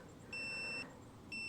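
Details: Gooloo jump starter after two weeks in a -4 °F freezer, preheat never activated, failing to start a 2004 Cadillac DeVille: two half-second high-pitched beeps about a second apart; timeout alert.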